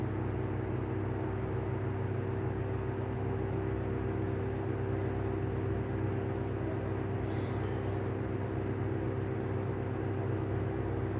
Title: Better catch of bad bearings on the Airflow exhaust fan